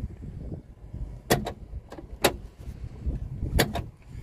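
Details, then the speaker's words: 2009 Hummer H3 with 213,000 miles: sharp paired clunks and clicks every second or so as the door opens past a certain point; door mechanism noise, cause unknown. "sounds like some kind of mechanism when you uh open the door past a certain point"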